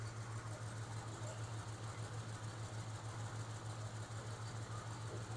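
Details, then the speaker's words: 1996 Ford F-150, compression test poor: steady low idle with a light, fairly even tick about a hundred-plus per minute, visible engine movement, check engine light returns; owner guesses valvetrain, source unknown. "it's still clicking or and of course you can probably see the movement of the motor"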